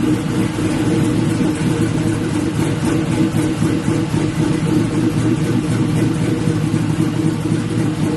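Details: LS-swapped Black Haven Buick Regal V8 after a thermostat change and coolant refill, leak check: smooth, even idle with steady throttle blips, no knocks, ticks or misses; "sounds pretty good", healthy.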